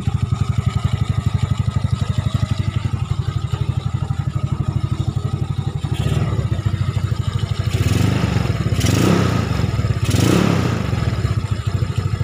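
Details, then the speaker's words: Yamaha Nouvo scooter bored up to 58 mm piston with big carburetor, previously very sluggish, after repair; single-cylinder thumps at a steady even beat with smooth throttle blips, runs clean and healthy. "Jadi rada nyenyak-nyek ini suaranya Lur knalpotnya bobokan Lur"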